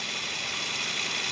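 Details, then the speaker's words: 2013 Toyota Camry 2.5 L 2AR-FE at idle, checked with a stethoscope: steady gritty hiss with no knock or tick from the rough idler tensioner pulley bearing; still functional, a comfort issue only. "Sepertinya suara itu berasal dari tensioner idle. Suara yang dihasilkan dari tensioner idle sangat kasar."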